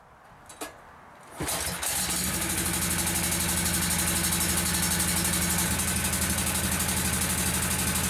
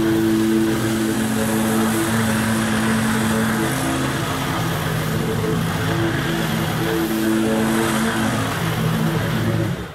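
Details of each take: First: Kawasaki lawnmower engine with a single carburetor feeding both sides cranks, catches and runs fast and slightly uneven, shifting partway; intermittent misfire diagnosed as a leaking intake manifold gasket, before replacement. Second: Kawasaki V-twin lawn mower engine after replacing both intake manifold gaskets with gasket-making material: steady, even drone holding speed and mowing without bogging; vacuum leak fixed, normal running.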